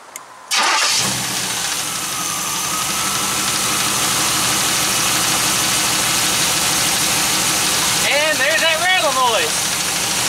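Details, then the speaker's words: 3rd gen Firebird with new alternator, stock belt routing: cranks, catches and idles with a light steady rattling tick, only present with the serpentine belt on; accessory drive rattle, source not yet found. "all right so put the new alternator on there still a little bit of a noise only where the serpentine belts on"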